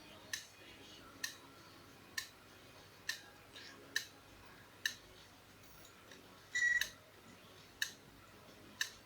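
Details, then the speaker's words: Laptop hard drive, powered with extra supply added. Sharp, isolated clicks about every 0.9 seconds and it never spins up properly or progresses, before the heads likely park into standby. The drive is written off as unrepairable. "Ну вот тем кому было интересно что же там внутри этих жёстких дисков что там не так почему она там жужи стучит клацает и не работает думаю для вас уже это теперь не загадка"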